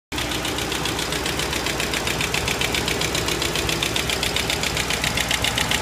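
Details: 2005 Mustang GT, 108k miles, Mobil 1 5W-20 with K&N filter: fast, even ticking about four per second over a steady V8 idle; top-end tick, cause not pinned down.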